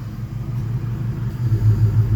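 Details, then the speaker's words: Vehicle with a failed-PCM warning, idling with the AC on: low idle rumble that swells and falls as the compressor cycles off and on; owner suspects the compressor, cause not confirmed. "see it's going up down up down and you can see the compressor turning off and on"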